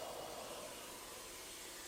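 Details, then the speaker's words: 2006 Mercedes-Benz GL550 4MATIC, 5.5 L, engine switched off during inspection: steady, loud airy hiss with no rhythm as the air suspension dumps air and lowers; normal venting, surprisingly noisy. "You can hear that air suspension letting its air out. I didn't realize that was so noisy."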